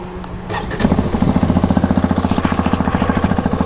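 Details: Hero Xpulse 210 single-cylinder at 2,841 km (post-first service), starting then idling with a hard, regular metallic ticking/clacking from the cylinder head, tappet noise (valve clearance) noticed since 2,600 km; owner likens it to a tractor.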